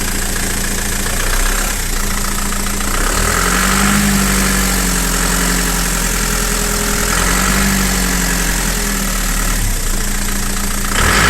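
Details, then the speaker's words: Frontera 2.8 diesel cold start after sitting about two and a half months: steady, even diesel clatter at idle with a smooth rise when revved, no knocks or misses; engine sounds healthy. "it yeah she sounds healthy"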